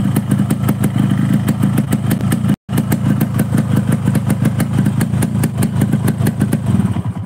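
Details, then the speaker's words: Two-stroke motorcycle idling at about 1500 rpm: crisp, evenly spaced popping beat holding steady without rising and falling; healthy idle. "Ini motor tidak naik turun maksudnya suara mesinnya deng deng deng dengnya itu stabil ya teman-teman"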